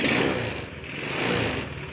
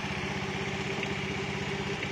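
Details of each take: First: Honda Beat with a standard carburetted engine, fitted with a PE24 carburettor, after carb adjustment: the engine ticks over at a steady, even idle with no hunting or stumbling; normal idle. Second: Honda Beat with a stock carbureted engine fitted with a PE24 carburetor, during needle adjustment. The idle lopes and stumbles unevenly, sagging then recovering. Rich mixture; still needs more adjustment.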